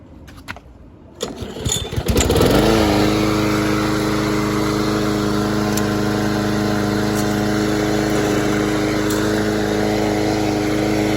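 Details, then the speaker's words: Troy-Bilt (MTD) mower after a blown Briggs Quantum engine, idle speed adjusted up: short pull and catch, then strong steady even drone with no misses or knocks; healthy, though idle may be a note too high. "might be a note too high. I could put my tachometer to it, but I did um speed it up a little bit. At first, I think it was a little bit too slow. Might be a note too high right now."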